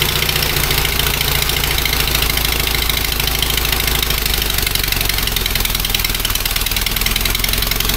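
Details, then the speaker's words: Fiat 126p two-cylinder engine after valve clearance adjustment, just started; rough idle with loud rasp and uneven chuffing, owner thinks it is farting from the exhaust; exhaust popping. "odpalił ogólnie pierdzi z wydechu chyba mi się wydaje"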